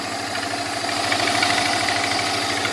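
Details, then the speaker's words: Subaru EJ20X engine after losing power and struggling above 45 mph: rough idle with fast, heavy, regular knock shaking the engine; rod knock or spun bearing suspected. "it sounds like a rod knock or something or spun bearing not sure"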